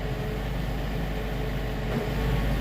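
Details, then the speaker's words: Tractor powershift transmission clutch fill (kiss point) calibration after a software update, done through the tractor interface, engine held at 1500 rpm in park: steady drone with brief load dips as clutches fill; normal calibration cycle. "Fill kiss up calibration is basically its fluid converter. It's basically torque converter stall, for lack of a better term. And it's watching engine RPM variations as it cycles through everything."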